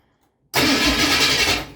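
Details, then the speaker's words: 1973 Ford Mustang after a new starter install, engine front and belts still off and the fuel pump not energized, so cranking only: about 1.5 s of strong even cranking, no free-spinning whir. Before, the starter just spun without turning the engine. "So starter sounds good. It's a lot better than before."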